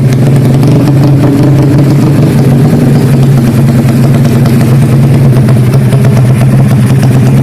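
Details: Karisma built to 160 cc with a racing camshaft, PWK 33 carburetor, 29/24 valves, GL CDI and open pipe: the single idles with a choppy, stuttering beat over a steady low drone. The uneven lope comes from the camshaft.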